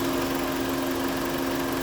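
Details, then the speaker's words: 2001-06 Chrysler Sebring 2.4L after radiator fan assembly work and new fuse, warm idle, coolant 172°F: steady even whoosh, constant single-pitch hum, no ticking or scraping, fans blowing hard on both sides; normal cooling fan operation. "You can tell that it's just crazy blowing on the driver's side. Same thing on the passenger side."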